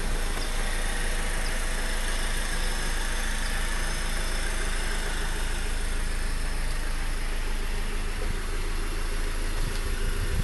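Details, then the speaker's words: Honda Accord i4 sedan idling, recorded with the hood closed: even, low four-cylinder hum with no knocks, ticks or misses over faint road noise; normal, healthy engine. "It's coming from the engine block, it sounds like. Like right there, that's where it's coming from. Sounds like a diesel engine almost."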